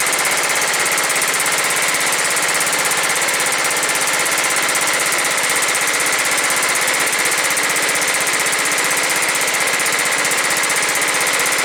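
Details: John Deere STX38 lawn tractor, Kohler Command 13 hp engine, 38-inch deck, fixed after a no-run: on first start after reassembly it fires rapidly at about four beats a second with a raspy exhaust, even with no stumbling, idling properly.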